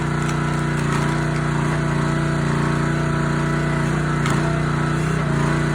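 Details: Honda GX160 SplitFire wood splitter after carb clean and oil change for bogging when splitting; even, steady drone doesn't sag as wood splits, light cracking noises, engine pulling cleanly under load.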